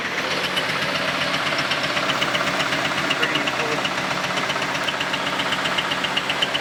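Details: Camaro just started after exhaust weld repair, had stalled and possibly low on fuel: rough idle with a steady rapping knock about four per second over the engine noise; sounds loose, cause unknown, debris and a dead animal blown out the exhaust.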